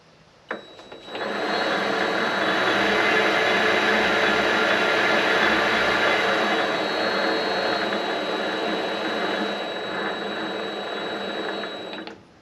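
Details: Vevor MX400 mini lathe after reinstalling the tension pulley on a redesigned mount, cover on: even, smooth motor hum with a steady high whine and no knocks or rattles. Normal running.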